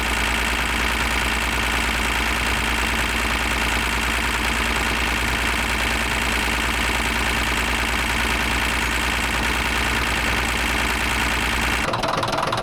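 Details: Caterpillar D9H dozer diesel idling loud and rough with an irregular heavy knock, roughly two a second; engine knock, cause not yet known.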